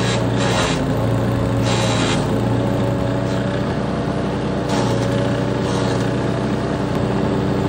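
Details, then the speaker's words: Troy-Bilt Tomahawk Pro chipper, 10HP Tecumseh, after freeing a stuck governor arm and remote throttle with penetrant: engine speed swells and drops every second or so instead of holding steady; surging blamed on a suspected dirty carburetor, to be cleaned next. "we hear that surging dirty carburetor that's where I leave you for today"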